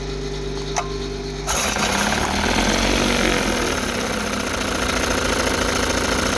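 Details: 1960 Evinrude Fisherman 5.5 hp outboard, rebuilt, running in a test tank possibly a bit lean: catches at about a second and a half and settles into an even, quick two-stroke putter with no misses; healthy idle.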